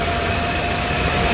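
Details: 1998 Mercedes-Benz six-cylinder with new water pump, thermostat and housing, battery, pulleys, belt, fuel pump and hoses: steady even idle, constant hum, no knocks, misses or squeals; normal idle.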